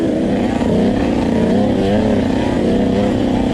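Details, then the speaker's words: Husqvarna TC 85 two-stroke running very rich (wet black plug), main jet leaned to 140 from 145 but worse: note wavers and gurgles unevenly at low to mid throttle instead of crisp revs; rich jetting bog. "I changed my main jet to a 140 and trying to see if there's a difference here it still needs some work it's the Idol Jen it's got real gurgle and five low-to-mid throttle"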